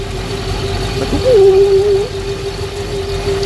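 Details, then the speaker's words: Twin-turbo Hellcat V8 with single Comp Cams cam, lumpy idle with a steady hollow hum from the turbo manifold, present since the manifold was first fitted; cause unknown, owner assumes it's just the manifold's sound. "that sound you're hearing from the manifold i heard that before like when i first put it on so i guess that's just the sound that it makes like it's a hollow sound"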